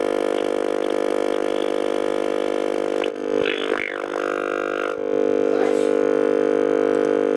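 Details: Likely 1960s Shaftesbury Japanese midget valve (tube) medium-wave radio, volume turned down while tuning: a constant low buzzing hum stays put under the stations. The failed dual smoothing capacitor can lets mains ripple through and needs replacing.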